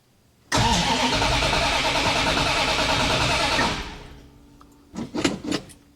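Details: 1965 Plymouth Satellite just fitted with Edelbrock RPM intake and Quick Fuel carb with electric choke: starter spins the engine evenly about three turns a second for three seconds without firing; crank-no-start. Cause suspected, not confirmed.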